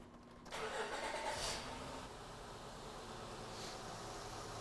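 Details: 2006 Honda Odyssey 3.5 V6, about 210,000 miles, after valve adjustment for multiple-cylinder misfire and rough idle: cranks, catches quickly, settles into a steady even idle with no stumble.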